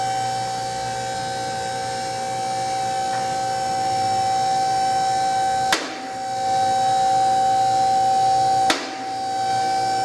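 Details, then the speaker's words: Rotary two-post lift with automatic safety lock raising a car: steady pump whine with two sharp clunks a few seconds apart as the safety lock engages; normal, since no clicking on the way up would mean a safety lock problem. "now this lift has an automatic safety lock with the clunking you heard when the lift was going up was the Safety Lock engaging if you don't hear that clicking when it's going up you've got a safety lock problem and that lift is not safe to use"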